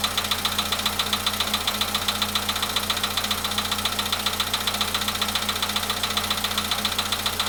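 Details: VW Polo Sedan at 93,000 km, cold-start idle: sharp, even ticking about two and a half times a second; a steady engine knock whose cause is still unknown.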